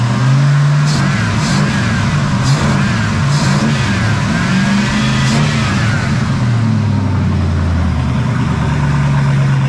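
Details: 1974 Pontiac Ventura engine just started after a hard start, with new plugs, fresh fuel and verified firing order and distributor timing: lumpy, uneven note that wavers and stumbles as revs rise and fall; runs rough, owner suspects the carburetor needs tuning and the timing needs setting.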